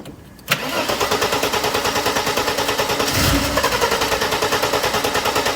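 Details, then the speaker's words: Mercedes R107 300 SL, crank-no-start, fairly new Bosch leads: steady rhythmic cranking about three beats a second that never catches; spark probe shows only intermittent spark, distributor cap suspected. "okay I don't know if you could see on the camera then but we was getting a spark intermittently"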